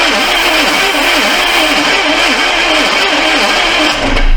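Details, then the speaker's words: Neglected 1982 Chevy Silverado C10, after a distributor adjustment: steady starter whirr with rhythmic compression pulses, no firing, and gas smoke from the valve covers. A stuck carb needle with no fuel and a failing starter are suspected; a compression test may follow. "I think that starter's about had it. We got too many problems. Starter sounds like it's going bad, but not got any fuel pumping through the carb, and compression."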